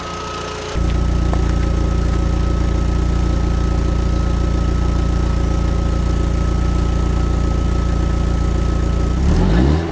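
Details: Neglected Audi TT, stock exhaust and original engine bay, cold start after standing a while, heard at the exhaust: engine catches and settles into a steady, even idle with smooth low burble, no ticks or knocks; healthy.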